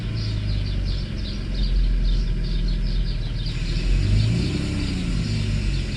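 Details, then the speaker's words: Mercedes S600 W140, rarely driven, in-car test of a repaired E-gas module, idle and acceleration: deep, uneven rumble with raspy puffing edge as revs rise; exhaust broken and air pump a little loud. "This car is not being driven often, so you might see a little bit of, and exhaust is broken, so air pump is also a little loud."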